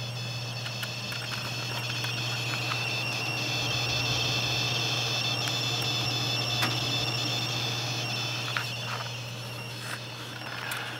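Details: Corsair AX1200 power supply under load when new: steady high-pitched electrical whine with several thin constant tones over a low hum; coil whine, unit later replaced.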